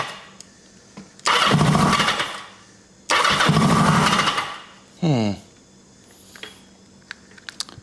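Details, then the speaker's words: 1980 Kawasaki KZ750 with a fuel line leak and an unhooked red lead: two short bursts of firing while cranking, each fading once the starter stops; it won't sustain itself. Owner suspects a spark or wiring issue. "Man, it sounds like it's firing right up, though. Then I let go of the start button and we lose it."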